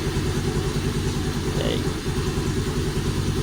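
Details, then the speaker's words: Honda Navi scooter with newly installed tachometer and temperature gauge, cold engine at about 60 degrees, holding a quick steady idle near 1200 rpm (about 1700 once warm); even low putter, no knocks or rattles; normal cold idle. "She's holding about 1200 RPMs at idle. It's cold. Engine's about 60 degrees."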